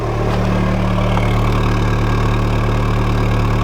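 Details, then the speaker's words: VW Golf at warm idle after connector cleaning and fixes, steady even low rumble with no stumbles, skips, surging or misfire; idling smoothly. "very smooth there's no hiccup there's no misfire"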